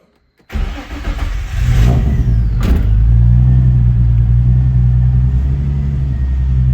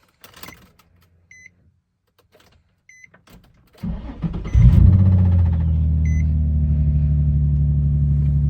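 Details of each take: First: Nissan 350Z first start after swapping in a JDM engine: starter whirr, engine fires, blips briefly and settles into a smooth, steady idle with a clean even beat; 80 psi oil pressure, normal running. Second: Nissan 350Z with its 305 engine, cold start with low oil pressure: beeps, then engine fires into a rough idle with a faint rattle; owners suspect oil-fed hydraulic timing chain tensioners letting loose, earlier thought to be rod knock.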